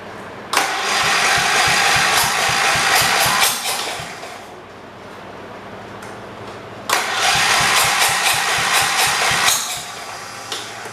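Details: 1978 John Deere 208 lawn tractor sat three years with a supposedly blown-up engine, carburetor idle adjusted down: quick cranking, then loud open-exhaust single-cylinder bark running a few seconds, twice; engine starts and runs.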